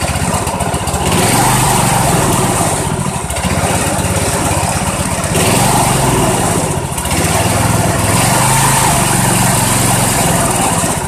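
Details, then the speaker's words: Old Dynamark Briggs & Stratton single-cylinder riding mower, sat outside a year, air cleaner off: after hard choking to draw water out of the carburettor jet, engine picks up, surges in waves, then keeps running. "that seemed to do the trick see if she'll start up without the choke and run"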